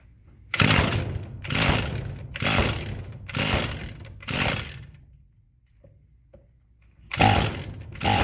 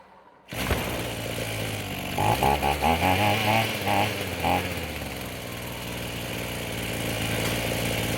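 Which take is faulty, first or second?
first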